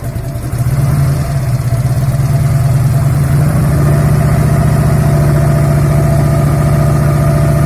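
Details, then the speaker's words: 1997 Harley-Davidson Road King Classic Evo V-twin after rebuild, at idle: light metallic clatter on the lumpy idle near the camshaft, appearing after 5–7 minutes and louder as it warms; the steel breather gear is rattling against the cam gear. "что постов я завел мотоцикл начал на нем ездить у меня появился какой-то бряк"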